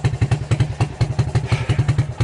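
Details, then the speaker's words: 1987 Suzuki LT230 ATV with recoil and electric start, which would not start after winter storage, now started. Lumpy, thudding exhaust pulses at about seven per second with a loose, burbly beat; it is running way too rich. "yeah you guys can hear that it's running way too rich"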